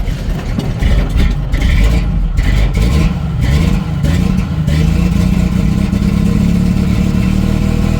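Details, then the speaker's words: 1990 Jeep YJ 4.2L, 5-speed, carburetor problems and a failed new fuel pump, started without throttle: engine stumbles and lopes unevenly as if running on only some cylinders; rough-running misfire, possibly flooded, plugs or carburetor reset suspected. "well it started it still sounds like it's running on half the cylinders if even"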